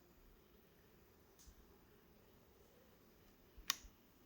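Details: Hohem iSteady M6 gimbal in a quiet room: a faint continuous motor noise, then a sharp knocking click when the gimbal is tilted quickly.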